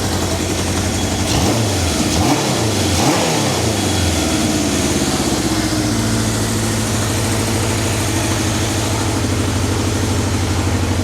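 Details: 1978 Kawasaki KZ650 four-cylinder after carburetor synchronization with a Digi Sync tool, readings 61, 62, 63, 60; engine blips up then settles into a smooth, even idle with no stumble or hunting, carbs well balanced; normal running.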